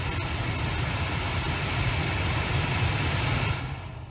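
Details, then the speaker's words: 2011 Jeep Grand Cherokee dual-zone climate with engine idling: steady blower rush cuts out about every minute while the passenger-side blend door actuator behind the glovebox spins clockwise on its own, with popping/clicking noise; faulty actuator. "we go now the blower kicked off and the actuator starts to rotate and you can do you can turn the heat of Justin adjusting knob either way and it just keeps rotating clockwise there"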